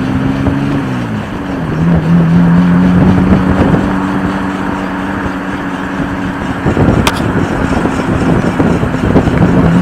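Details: 1993 Ford Probe GT driving: steady low droning hum over road noise, swelling slightly with speed, from a bad wheel bearing.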